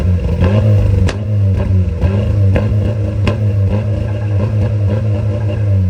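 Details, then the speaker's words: VW TDI diesel, revved hard with the camera at the exhaust: sharp, irregular pops and cracks about once a second. It misfires and backfires, scorching the grass. It idles fine but dumps fuel above 2k rpm; many parts have been changed and the cause is still unknown. "hopefully you guys hear the backfire and look at there where I was pointing and burned the exhaust I mean the grass"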